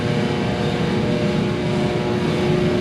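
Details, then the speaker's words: Free diesel torpedo shop heater running in a 12,000 sq ft warehouse: loud steady roar, constant low hum, no sputter or surging, pumping heat; burning evenly, normal running. "But that thing is pumping. And it is warm."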